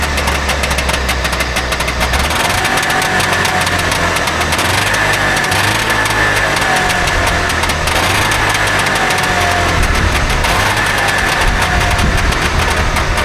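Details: Trabant 601 two-stroke, recently bought, with a rust-seized wheel brake cylinder: uneven idle, low putter surging and stumbling through steady buzz; owner says it doesn't run right; fuel delivery suspected, not confirmed.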